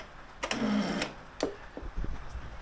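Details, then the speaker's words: 2008 Honda Today NVS50 50cc scooter, restomod from bare frame, coil and start solenoid newly connected: brief sluggish starter whirr then feeble clicks, engine never fires; battery flat, and the original no-start problem persists; slow cranking, flat battery. "as you can see the battery is flat well sorry as you can hear the battery is flat but more importantly we still have the same problem"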